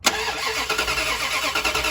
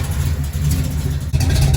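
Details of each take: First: '67 Dodge Coronet "Hefty" with flat tappet cam, cold start right after oil change to fill the filter, oil very cold: catches and idles with quick light ticking; dry lifters clattering until oil gets around, then quiets. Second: '67 Dodge Coronet "Hefty" big-block Mopar, started during an oil change to warm the oil: deep, loping rumble with even, steady beat, no ticking or misses; healthy big block chugging at normal idle.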